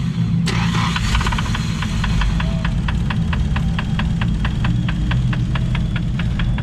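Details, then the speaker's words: Nissan S13 drift car reassembled after checking rockers, shims and valve springs (all looked fine): a sharp regular knock just after start. Owner suspects rod knock, unconfirmed; oil pressure reads 25 lb. "what do you guys think I don't know sounds sounds like it's still [Music] knocking maybe it's rod I don't know"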